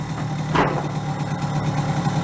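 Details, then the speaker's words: Barn-find moped, guessed about 1978, two-stroke, after refitting the air box: small engine putters at a quick, even idle with no misses or surging, running cleanly and quietly. "good makes it nice and quiet huh"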